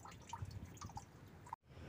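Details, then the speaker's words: Honda Civic Wonder with coolant leaking heavily from the water pump, which is also the source of the rough noise because it does not turn smoothly: irregular soft drips and little splashes over a quiet background; coolant leak. "jadi kebocoran ada di sini suara kasar juga ada di sini"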